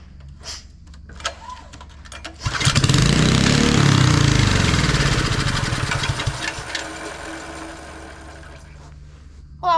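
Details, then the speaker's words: Mini bike with performance kit, turned over just after the throttle stuck at the rev limiter and a part shot out chipped and melted; quiet cranking breaks into a loud harsh roaring, grinding burst, then fades. Cause unknown. "Let me see what it sounds like just turning it over. Oh, what is that?"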